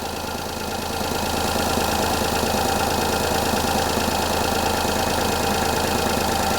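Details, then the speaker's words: Perodua Kenari at idle after tightening the front exhaust joint, which had come apart; steady idle with a regular chuff about three times a second. Leak is much reduced but remains; a missing gasket or poorly fitting aftermarket exhaust is suspected. "It's nowhere near as bad as it was. It was chucking really bad."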